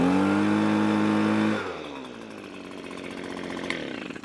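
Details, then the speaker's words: Echo PB255-LN two-stroke leaf blower after no-start repair with carburetor replaced and coil gap set: steady high buzz then smooth drop to even clean idle, no misses; running properly. "I think that'll do it. Echo PB 255 LN saved it from the grave."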